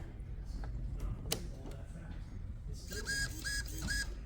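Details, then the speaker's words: Traxxas Slash 4x4 RC car steering servo, after reassembling its gears: short rough, buzzy uneven whirring each sweep; still sounds bad, suspected worn tiny internal motor, not confirmed. "still sounds bad my guess is it's probably the motor that's inside of there the tiny little motor"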